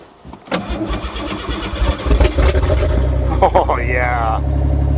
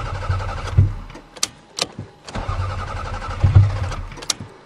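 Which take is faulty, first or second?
second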